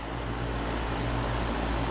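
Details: Goodman heat pump outdoor unit after shifting out of defrost: even, steady whoosh of the outdoor fan with no clunks or knocks; only clicking heard so far. Roof drains ice onto the unit; fan motor sounds normal.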